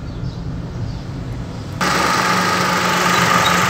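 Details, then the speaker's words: Toyota Passo idling: rumble then a sudden step up with a steady mid-pitched hum added, owner identifies it as compressor noise; recorded during checks for a suspension noise over rough roads and speed breakers. "there is also one compressor noise"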